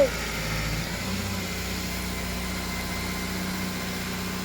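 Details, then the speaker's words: Honda Jazz with freshly fitted K-series swap engine, just started after ECU feed fix; steady even idle, smooth low hum, no knocks or misses: normal idle. "it doesn't sound too bad reasonable"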